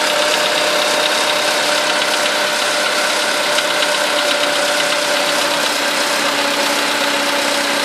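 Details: VW Polo sedan, 13,000 km mileage, at idle: a fast, light, even valve-like ticking over a steady idle, which appeared right after the first scheduled service (TO-1); cause not confirmed.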